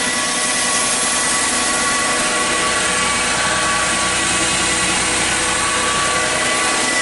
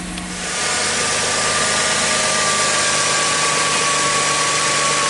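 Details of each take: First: 2006 Chrysler Sebring with an electrical issue causing transmission limp mode, a jumping speedometer and a check engine light: steady high whine at idle from low in the engine bay, pitch unchanged; owner says not normal, alternator suspected. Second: 2006 Chrysler Sebring with the battery reconnected and the engine still warming up: smooth, steady idle that drops quickly after start, no whine or rough beat; normal idle.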